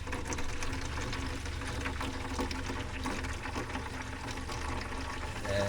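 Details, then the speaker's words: Sprinter van DIY water system, first flow test of the newly wired water pump: low steady hum under splashing from the faucet as air clears and cold then hot water flows, no surging or chatter; normal pump operation with water flow. "Yep, the pump is working. You can hear the air coming out. This is cold water. Hot water. We have water!"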